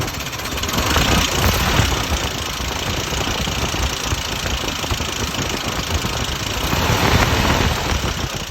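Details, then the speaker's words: 1971 Jeep CJ5, Buick Dauntless odd-fire V6, just bought, fires right up: loud, uneven clattering over a lumpy idle, fast irregular clanks, tractor-like; owner asks if normal, cause not determined. "Kind of sounds like a tractor to me. [Music] So, I'm asking, is it current? Is this what it's supposed to sound like? Is this the odd car? There's that clinkity clank. Something that shouldn't be clanky clanking."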